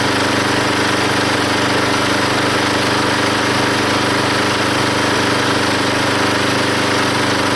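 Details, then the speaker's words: Log splitter engine, after fitting a homemade spring-loaded idler arm because the belt flew off: steady even drone holding its pace while splitting a log, no surging, hardly any belt or pulley slip; normal running under load. "now when it runs you can definitely hear the engine take the pressure of splitting that log and there's hardly any slipping on the pulley or on the Belt now"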